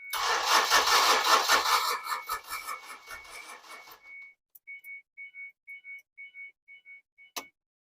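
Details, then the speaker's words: 2006 Ford Escape that sat locked up over 2 years, with plugs reinstalled: even rapid cranking for about four seconds that never catches, then steady chime beeping; fuel pump not heard running, suspected no fuel. Not confirmed. "fuel pump's not working so it wants it wants to start but it just needs fuel"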